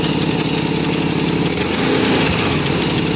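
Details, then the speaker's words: 1993 Nissan Pathfinder 4x4, 5-speed manual, 205k miles, at idle: fast raspy ticking puff at firing rate over the engine from a known exhaust manifold leak (still passes emissions); exhaust manifold leak. "But that noise is all over here. Exhaust manifold."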